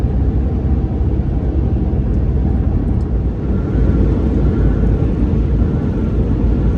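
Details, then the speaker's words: 2014 RAM 1500 test drive at steady highway speed after replacing the front wheel bearing: even low road rumble, no growl or hum; old bearing was stiff and sticking, bearing noise now gone. "all right so I'm on the highway and the wheel bearing noise is definitely gone now sounds good"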